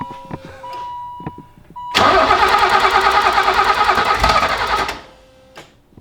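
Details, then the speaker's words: E30 BMW build, crank sensor replugged so engine speed and spark are now present: steady starter churn with one faint catch, never starts. Lift pump suspected bad, so brake cleaner is used. "a cough so we're pretty sure that the intake pump the lift pump is is bad so we're going for the brake clean"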